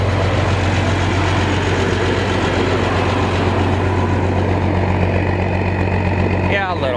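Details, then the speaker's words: Massey Ferguson 760 diesel tractor at loud steady idle with an uneven, stumbling beat, firing pulses dropping out; sounds like it's missing on a cylinder. Long-standing fault: runs a while after injector bleeding then dies; mechanics fitted a Murphy switch, cause unclear. "all right anyway that's a situation with this thing she don't sound too good sounds like it's missing"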